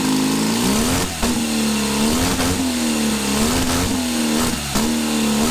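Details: Custom supercharged Triumph motorcycle (Born Free build) on first run after two years: repeated rev blips with supercharger whine rising and falling, pulling cleanly with no misfire or rattle; normal running.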